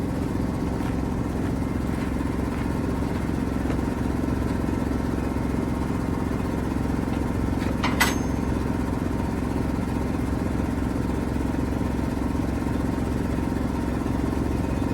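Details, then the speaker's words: 1973 Mack FR700 (FR711) with 250C diesel and quad box, with the fuel system still being primed and no fuel reaching the top of the last four cylinders; steady cranking churn of about three to four beats a second never catches; it won't fire. "but I'm still not getting any fuel out of the top of the last four cylinders."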